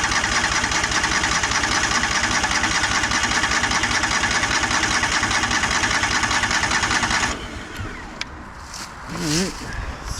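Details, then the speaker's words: 2004 Craftsman DLT3000 lawn tractor after carburetor cleaning, first start attempt: steady cranking about seven seconds with only a hint of catching, then quiet; cranks but won't start. "like it wanted to fire a little bit"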